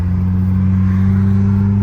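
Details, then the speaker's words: Saturn car accelerating around 50 after replacing outer CV axle boot: smooth steady drivetrain hum, no clicking or clacking; normal CV axle operation. "oh yeah that's that's that's way good that was 50 no clicky"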